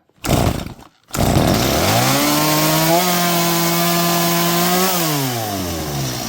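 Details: Stihl MS230 chainsaw that was hard to start: it fires and climbs to a fast, steady high idle on its own, then winds down. The trigger slips into half or full choke despite cleaning and oiling. The stop switch doesn't work, so the owner stops it by opening the choke.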